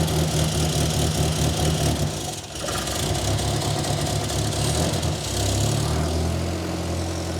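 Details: 1963 Austin Healey Sprite small four-cylinder after SU carbs cleaned and refitted and exhaust leak worked on, cold: fairly steady low idle beat with brief dip and recovery; sounds much better, warm-up then enrichment tuning pending.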